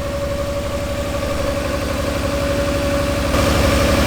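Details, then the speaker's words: R32 Skyline with used, long-sitting RB20 swap, idle misfiring: pulses about four times a second with a slight stumble; injector on cylinder 2 heard clicking weakly via screwdriver, suspected lazy injector causing misfire. "eemed like the plug that I disconnected that made no difference on cylinder number 2 was related to the injector not working properly, because Ollie heard that the injector pulse was very weak, so I put my ear up to it, and he seemed"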